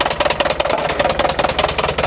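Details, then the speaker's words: Iveco 35-8 diesel van idling roughly and shaking hard; loud regular knock about seven to eight per second; owner suspects a spun connecting rod bearing, not confirmed; knocking and heavy vibration at idle. "Ah, c'est pas un très beau bruit ça. Et je me doute bien qu'il faut pas le laisser tourner comme ça. Bon là il tremble à mort."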